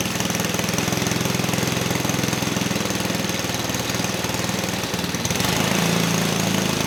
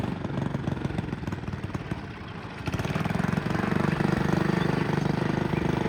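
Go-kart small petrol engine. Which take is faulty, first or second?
second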